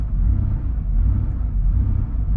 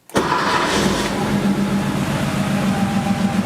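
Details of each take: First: Warm Porsche 3.2 Carrera flat-six, rebuilt engine, at idle around 1000 rpm, too high: after a brief rev it drops back and slowly rises and falls; idle surging, stops when loaded in first gear with clutch. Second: Porsche 3.2 Carrera flat-six restarted after base idle adjustment fix: quick crank, catches cleanly and settles into steady, even idle around 800 rpm, correct for this car; previous high, surging idle resolved.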